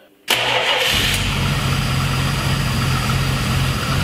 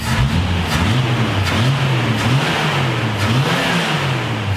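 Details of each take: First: 1970 Dodge Challenger, 225 cu in slant-six with new carburetor, cold start after pumping fuel up: cranks, catches at once, settles into a low, slightly lumpy idle; owner suspects idle screw needs raising but notes engine is cold. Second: 1970 Dodge Challenger with 225 cu in slant six, after a tune-up, a new carburetor and new suspension and steering parts: revs up and drops back cleanly several times, pulling smoothly with no stumble or knock; normal revving.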